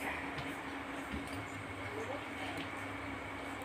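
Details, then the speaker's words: Sanyo one-door refrigerator compressor, after evaporator puncture let water into the system, refilled with oil, rewelded lines, left overnight, then plugged in: only a steady electrical hum, no start; compressor seems stuck, cause suspected. "tapi ternyata Mesinnya tidak hidup hanya dengung saja sebaiknya kita cek lagi jadi aja mendengung macet sepertinya ya karena semaleman kita biarkan dia"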